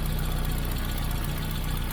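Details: Austin Allegro petrol engine with new fuel pipes and filter and a mechanical lift pump, warmed up and dry with no leaks. Soft, even low pulsing tick-over with no misses, knocks or hunting. Normal idle.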